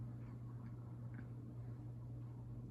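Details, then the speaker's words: SMC/Galleria 30-inch hugger ceiling fan on medium via an added aftermarket speed control: low, steady 60-cycle motor hum, smooth and noticeably quieter than factory. "but yeah noticeably quieter and then we will go down to low on the three-speed slider and we notice the hum goes down to almost nothing which is awesome"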